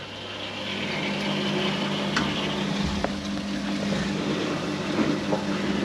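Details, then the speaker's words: Boiler firing up after new radiators installed, system filled, vented, pressure just under 1.5 bar: low roar builds and settles into an even hum with faint steady tone; burner lit and firing normally. "Right, there we go, the boiler's just fired up, you can see that."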